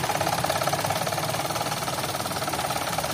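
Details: 2011 Toyota Vitz with code P0303 idles unevenly at about three to four stumbling beats a second; cylinder 3 misfire caused by the number 3 fuel injector pulse wire connected the wrong way round, fixed by correcting the wiring.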